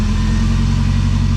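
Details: Nissan 240SX with an engine rebuilt after the timing chain snapped and pistons hit valves, at first start with timing roughly set at the distributor: a smooth, even idle with a steady low drone and no knocks. Normal idle.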